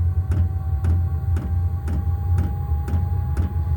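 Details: New diesel heater in a garage during its first start-up, getting up to temperature. A steady low hum with the fuel pump ticking evenly about twice a second. The heater is running normally.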